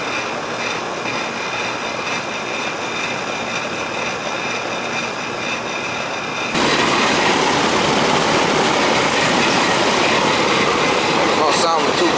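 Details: Old Rheem 3.5-ton AC condenser running after contactor short/transformer repair; low suction pressure 50, no airflow, 15° superheat, 41° line. Steady rushing fan with gritty uneven hum that jumps louder midway; rough, tired, cause unclear.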